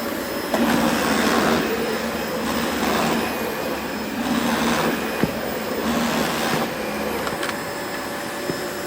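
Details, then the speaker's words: Well-used Dyson DC25 vacuum whose motor roars unevenly, surging in waves with sharp pops and crackles. It has barely any suction and a dusty filter, and is judged not worth repairing. "can you hear the motor popping? Change all about this jam. Barely any suction."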